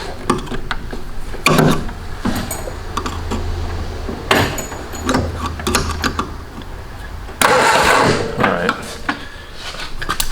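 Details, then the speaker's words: 1970s canoe hot rod built from a 1953 Ford Anglia, unrun for 47 years, on a 12-volt battery: several short bursts of steady starter cranking that never catch; only a weak spark from dirty ignition points that need cleaning. "see that sparking when i turn it over can you see in there okay uh yeah i'm getting a little bit of a spark really"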